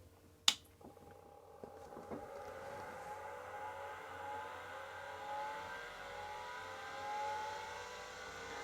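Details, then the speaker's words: Atari MEGAFILE 30 hard disk, unknown condition, first power-on with fan running: sharp click and ticking, seeking heads, then whir climbing in pitch as platters spin up cleanly, activity LED blinking; normal spin-up. "Oh yes, that's noisy. But it seems to be ticking, seeking. Yeah, it's banging. Yeah, it went silent."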